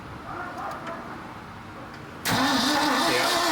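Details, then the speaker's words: 1976 Ford F-600, first start attempt in 10+ years: starter cranks with even chugging rhythm but engine never fires; spark issue suspected around distributor, points and condenser. "ah got no juice in it yeah let's pull a plug and see if we're getting fire"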